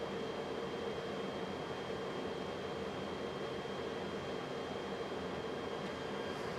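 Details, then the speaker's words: Coleman RV furnace (RP-30Q) with Mach thermostat on heat, gas on: steady blower rush with a faint high whistle and no burner ignition; the sail switch installed a couple of weeks earlier failed. "So the furnace did not fire up. I mean, it was spinning, but it would not ignite. And it turns out this brand new sail switch that I just installed a couple weeks ago failed already."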